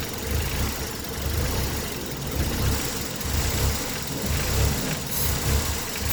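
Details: Engine with code P0400: low, uneven idle still swelling and sagging about once a second; the brake booster line was plugged with no change.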